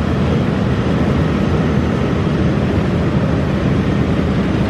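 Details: Massey Ferguson 40 combine harvester, believed 1996, restarted after sitting 3 years, needing the small clicking lift pump to run: steady deep diesel drone at constant speed, no knocks or misses, shaking the machine; normal running.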